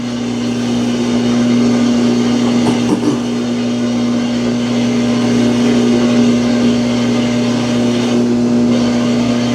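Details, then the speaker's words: Samsung washing machine that will not complete its spin: loud steady droning hum as the drum tries to spin, with thumps from the tub shifting around; spin never settles; loud noise during spin cycle. "Now it's starting to spin, and it's probably going to make that noise again."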